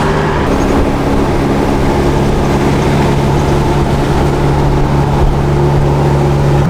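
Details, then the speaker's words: Toyota Tacoma on a test drive after repair, ECU still relearning idle, earlier noise only appeared when warm: steady engine drone under road noise, even pull, no knock, whine or rattle; runs fine, noise not heard yet. "right, it seems to be running pretty good."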